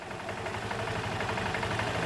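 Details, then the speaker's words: Vespa GT200 single-cylinder after a carburetor cleaning and tune-up, warmed up for over a minute, idle speed being set: a low, steady, even putter with no stumbling or hunting; normal idle. "about right there is good it's warmed up enough where it has a good even idle"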